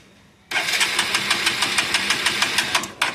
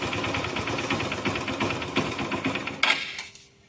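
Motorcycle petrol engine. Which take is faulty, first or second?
first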